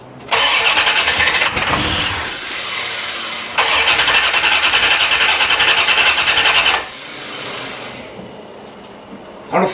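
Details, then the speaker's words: 1990 C4 Corvette V8, rebuilt after 5 years apart for a blown head gasket: the starter whirs in two long bursts but the engine never fires. Owner first thinks he may need a battery, then suspects no fuel. "well she does not want to start i might even have to go get a battery"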